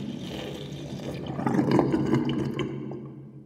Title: New sinkdrain with my new sinkplug 45.5 mm & round plastic ring and whirlpool & loud gurgling sound